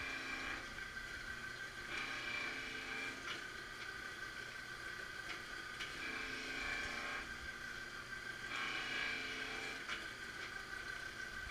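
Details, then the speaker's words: MG 500 dual-head straight knife grinder in fully automatic mode, grinding and lapping cross passes counting down; steady motor hum with a hissing grinding pass about every 2.5 seconds, normal automatic cycle. "it will do the blinding pump down on the grinder and then cross me go through the same sequence but for both the grinding and laughing the cross passes countdown grinding"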